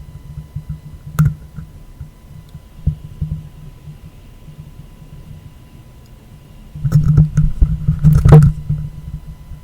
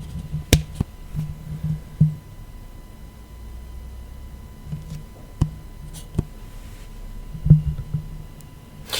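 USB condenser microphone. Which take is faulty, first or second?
first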